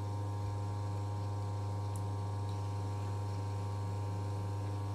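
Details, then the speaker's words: Oriental wall fan after oiling: on first (lowest) speed, which did not work before servicing, it now runs with a steady, low, even hum, no scraping or ticking; working properly. "ನೋಡಿ ಫಸ್ಟ್ನೇದು ಓಡ್ತಾ ಇದೆ ನೋಡಿ, ಕಾಣಿಸ್ತಲ್ಲ ನೋಡಿ, ಪ್ರಾಪರಾಗಿ work ಆಗ್ತಿದೆ, ಏನು issue"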